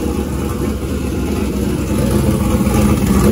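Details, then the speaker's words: Turbo LS V8 in a caravan after PCM unlock and tune, injector data corrected from 25 to 70 lb/hr, second start attempt: steady, even low rumble at smooth idle with no misses; engine running clean and healthy. "healthier i love it man i love how this thing runs it sounds [Music] wicked"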